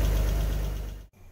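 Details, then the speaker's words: 3.2 V6 started on Autowit SuperCap 2 jump pack: deep even idle rumble, steady firing beat, no knocks or misses before shutoff; healthy. "so there we go it will start 3.2 v6 as well"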